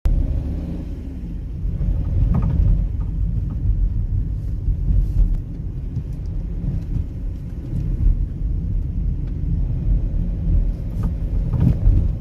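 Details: Fiat Doblo 263 van front suspension rattle and clunk over bumps, heavy low road rumble with irregular dull knocks; persists after changing drop links, no play found in ball joints or steering rack, loose part not yet found.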